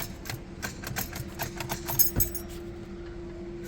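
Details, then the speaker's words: Honda Civic, battery at 12.4 V, after a starter replacement: sharp, irregular ticks at about four a second with no cranking at all. The issue is inside the starter. "मगर गाड़ी start नहीं हो रही है। Self जो है वो इस तरह की साउंड दे रहा है। टिक टिक कर रहा है।"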